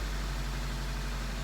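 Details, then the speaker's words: 2003 Honda CR-V after timing chain repair, first cold start (not warmed up): starts right up with a low, steady, even idle hum, no knocks or stumbles, no check engine light; normal idle, running much better than before. "starts right up Wow this thing runs so much better oh my gosh"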